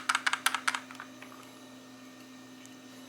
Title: 1080p novatek Car DVR rear view mirror rattling noise